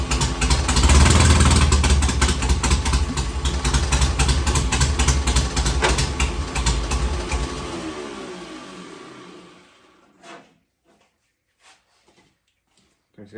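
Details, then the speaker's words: 1965 Healey fed from a gas jug with a temporary fuel line, battery in back, and ether sprayed in because the fuel pump hadn't been bringing fuel up. Fires, runs fast and rough about eight seconds, then sputters and stalls. "didn't run as good as it did just now but uh we just got to hear it"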